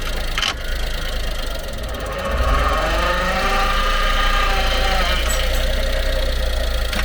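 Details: Honda Acty truck HA9 SDX 4WD 5MT, 218,000 km: noise most noticeable when changing from forward to reverse; sharp single clunks over steady engine rumble; worn propshaft universal joint bearing, slight under-1 mm play, fixed by replacing propshaft assembly.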